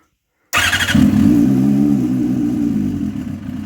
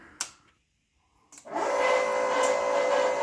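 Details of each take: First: Motorcycle at its first fire-up on methanol, started on RC car batteries in a cold garage with the wideband not yet warmed up. It catches at once, runs rough and uneven at a fast idle for about three seconds, then dies, running lean. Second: Fuel Lab fuel pump on a motorcycle at its first methanol fire-up on RC car batteries, in a cold closed garage: a couple of clicks, a pause, then a steady, even mid-pitched whine. The pump is running normally.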